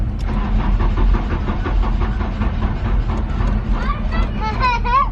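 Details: Mk3 VW Golf after new fuel pump install, fuses replaced, truck battery fitted: steady rhythmic cranking that never catches, starter churning without the engine firing; cause suspected, not confirmed.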